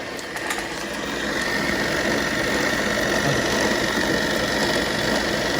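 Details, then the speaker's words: 1940s RCA 16mm movie projector running forward after the missing drive belt was replaced with a spring belt from another model and brand: steady, even whir with a light whine, running smoothly. "some grease on the gears guys going smoothly oh man it sounds good"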